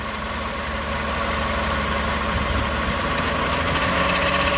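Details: 2009 Toyota Sienna idling near 1,000 rpm, heard from underneath: gritty buzz/rattle from transmission end; flex plate, torque converter or transmission pump suspected, cause unclear.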